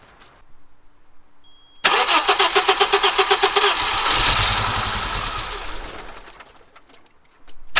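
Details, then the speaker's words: Audi 2.2 Bosch K-Jetronic after new injectors, water temperature switch and ignition work: long even crank, catches, revs freely then falls away; only starts with screwdriver wedged into metering unit, cause unknown. "I'm right back to square one and absolutely everything I've done I've checked absolutely everything and it just won't start it'll only start when the screwdriver is wedged into the the metering unit"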